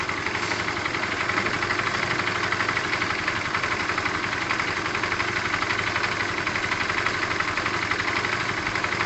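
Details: Tamoretti with replacement carb idling while the air-fuel screw is turned out half a turn: steady, fairly even single-cylinder idle with hissy top end, revs rising only a touch; carb still being tuned.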